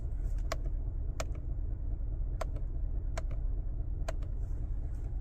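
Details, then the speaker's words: Cadillac Escalade 6.2L V8, about 45,900 miles, that failed on the road, started at 22°: sharp ticks about once a second over a rough, low idle rumble, with every warning light coming on; internal knock, cause unconfirmed. "definitely a knocking noise in a second you're going to see every single warning light come up on the dash here"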